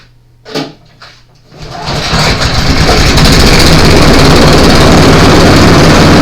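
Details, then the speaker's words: Honda-engine blower after carburetor removal and thorough cleaning, run outside about 10 minutes, started on choke: handling clicks, then it catches and settles into a fast, even, steady buzz; normal idle, running fine. "So we ended up taking the carburetor off from this one and doing a thorough cleaning on it. And what we've got left, I left them outside running for about 10 minutes."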